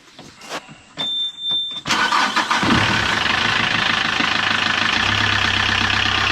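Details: Vetus marine diesel in a Halvorsen boat after its overheating heat exchanger was repaired, pressure tested and refitted: a few clicks, quick crank and catch, then a steady, even diesel idle with no knocks.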